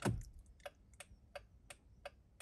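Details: 2006 Honda FR-V 2.2 diesel after repairing the 38650-SJD-E01 indicator module's G8N-1FS relay: crisp, even relay clicks about three per second; indicators and hazards now flashing normally.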